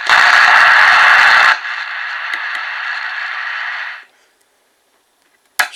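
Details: Realistic TRC 453 CB radio: a very loud receive hiss and roar that cannot be turned down, then cuts off abruptly. The uncontrolled receive audio traced to a bad ground on the mode switch.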